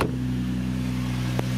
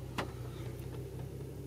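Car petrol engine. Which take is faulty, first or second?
first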